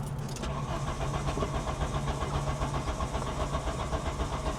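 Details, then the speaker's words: VW Cabriolet abandoned over 10 years: even starter churning at about four beats a second that never fires; gauge shows no fuel (suspected bad sending unit), fuel pump initially not running; crank, no start. "it cranks healthy it shows no fuel which is probably a bad sending unit from sitting for years and"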